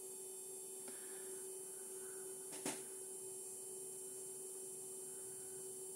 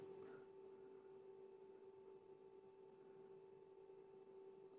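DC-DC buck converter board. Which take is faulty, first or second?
first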